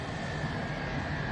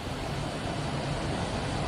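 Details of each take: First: 1969 MGB heater blower motor, dry-stored since 2001 and tested on the bench: a steady high whine over the motor hum starts as oil works up the shaft, a dry or worn shaft bearing. It was quieter after lubrication. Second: 1969 MGB heater blower motor, removed and lubricated with oil, runs with a steady even whir, much quieter than before, briefly cut then restarted; normal blower running.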